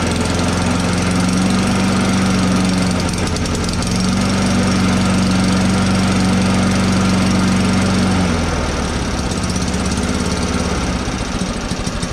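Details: Scrapped lawn mower after its carburetor main jet tube was cleared and the fuel turned on. It runs with a steady, even low drone at constant speed with no misses or surging; it now runs properly.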